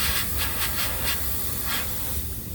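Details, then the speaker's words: Thermo King SB230 trailer air system after one new line installed: steady sharp hiss with louder spurts, the other broken air line still leaking; owner suspects something caught on the road pulled both lines; replacement line to be installed. "so i did the new one let me show you guys and you can still hear that the other one's leaking as well watch listen to this see"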